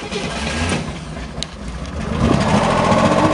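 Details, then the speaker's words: Corvair Monza flat-six started in the warehouse before a long trip: catches and settles into an even, brisk patter with no knocks or stumbles, picking up smoothly as it warms; sounds real smooth, normal running. "oh she sounds real good drop her and drive and away we go"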